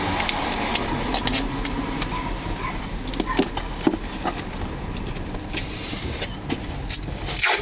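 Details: 2018 Nissan Leaf, lapel mic taped to front member under bonnet while driving: sharp irregular knocks and clicks over steady road rumble; new front-end knocking fault, loose front part suspected, not confirmed.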